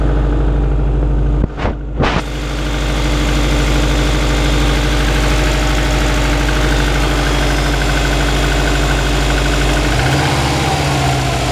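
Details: 2002 US Subaru Impreza WRX cold flat-four settling to idle: hollow even knocking riding the engine beat; piston slap.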